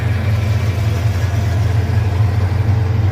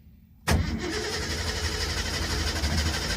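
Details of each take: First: Car just lowered after both exhaust pipes reinstalled following off-road damage: smooth, even low idle, steady rhythm, no ticking or puffing; no exhaust leaks. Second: Mustang started after sitting four to six weeks with a dead battery: several seconds of uneven cranking, a pause, then it catches and idles once it draws fuel; exhaust stinks, possibly from old gas.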